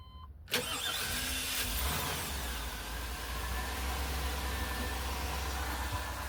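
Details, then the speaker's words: 1999 P32 workhorse chassis with 454 V8, intermittent dragging or funny start sound, starter just replaced and flex plate gap checked, timing slightly off: short crank, quick catch, steady slightly uneven idle. The odd noise doesn't occur this time; cause unconfirmed. "And got a funny start sound. It's intermittent."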